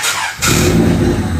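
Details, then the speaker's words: Orange car cold start, not yet revved: fires after a short crank into a loud, raspy cold idle with a booming exhaust, much louder than stock; very noisy exhaust. "napakaingay talaga kahit cold start. Hindi ko pa siya binobomba pero naingayan na talaga ako."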